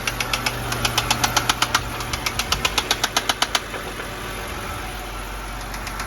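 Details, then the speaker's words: 2011 BMW 328i xDrive at idle: sharp regular ticking about four a second that comes and goes; intermittent knock, later concluded to be spun bearings. "such an odd sound [Music] [Applause] comes and goes"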